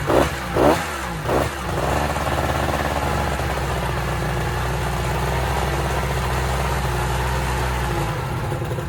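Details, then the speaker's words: Kawasaki 1100 jet ski engine with low compression in the center cylinder: a few rough catches, then an uneven, lumpy run that keeps stumbling. "I sold it as a nonrunn ski and let him know that center cylinder had low compression"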